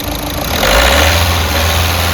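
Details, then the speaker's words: VW Polo diesel after the injectors were removed, repaired for jammed internals and refitted: steady, smooth low-rumble idle with no stumble; earlier misfire, knocking, white smoke and pickup problems are gone. Normal idle. "तो भाई जैसे पहले actor देने missing की problem थी और missing की missing भी नहीं है अभी इसमें और इंजन का जो साउंड है बहुत ही ज्यादा स्मूथ हो गया है"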